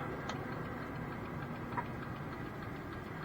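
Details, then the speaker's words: Diesel tipper truck in cab: quick, even ticking far faster than a normal flasher, as if a bulb had failed though none has; hyperflash after the rear indicators were changed to Audi-style sequential units. "now we can hear the indicator clicking like mental there as if one of the bulbs is gone but it's not"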